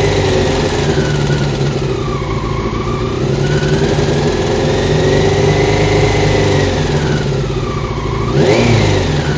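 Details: Honda CBR600 F1 motorcycle engine revving with a fast, rattly clatter that follows engine speed; cause found to be the cam chain tensioner.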